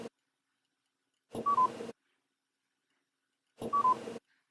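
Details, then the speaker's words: Otofonix Elite hearing aid, rocker switch pressed up: each press gives two quick beeps, the second slightly lower, as volume rises a level (10 levels); a single beep would mean level 1 or 10. "Now, when you reach the very bottom or the very top, you will only hear 1 beep. That way you know you're either at level 1 or level 10."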